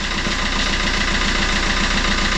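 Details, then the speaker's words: Fiat Qubo 1.3 Multijet diesel after timing chain refit: steady idle with hard regular clatter over low rumble, some oil spitting possibly from turbo; injectors suspected as next step, not confirmed. "comme une patate il claque un peu peut-être la prochaine étape c'est les éjecteurs"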